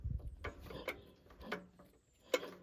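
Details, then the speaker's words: Petter AA1 diesel water pump, not run for a week, rope start with decompressor on and fuel set to one: slow, crisp metallic clinks about two a second from the injector pump delivering fuel properly. "you can hear that clinking and that's injector pump working so I have no doubt that this thing will either start first or second pull"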